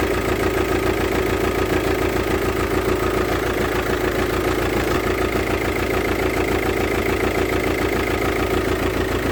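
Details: VW Touran 2.0 TDI diesel at idle with a hard, regular knock about three or four times a second over the clatter, caused by a defective fuel injector.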